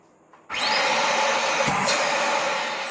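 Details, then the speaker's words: Dyson DC39 barrel vacuum after clearing debris from the motor that caused no suction and noise: after a click the motor spins up to a steady, even whirr with strong suction and no rattle or grinding; runs normally. "it's got suction that's fantastic i think that's good enough"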